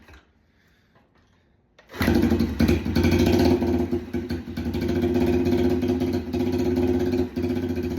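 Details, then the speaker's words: Yamaha TTR 90 single after top-end rebuild (piston rings, top-end kit), running with no exhaust fitted; loud, uneven popping and cracking out the open pipe, slight smoke; backfiring from the straight pipe. "Um, it's obviously backfiring because there's no um exhaust in there."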